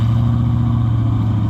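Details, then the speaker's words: '96 Ford F150 V8, 239,000 miles, at idle before exhaust repair: deep steady idle with muffled, choked exhaust note and foul smell, no smoke; one catalytic converter completely plugged, restricting flow. "I don't know if you can tell or not but one of the Celly converters woo it stinks one of the cic converters has stopped completely"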